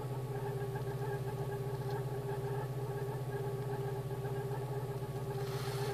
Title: Polo CL (86C), AAU, Hallgeber war defekt, Motorgeräusch nach Reparatur